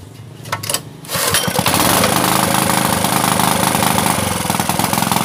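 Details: Honda GX160 water-pump engine after flood submersion and cleaning: catches after a second and runs loud, raspy and slightly unstable with harsh crackle from a broken muffler; carburetor needs slight adjustment.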